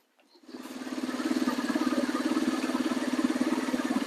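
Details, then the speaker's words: Neglected Yamaha Warrior 350 quad, with a bit more gas in it: catches fast, then settles into a steady, even single-cylinder thump with no stumbling or misses, a clean healthy idle. "There you go, she's running pretty good. Amazing how much better it runs when you put a little bit more gas in it."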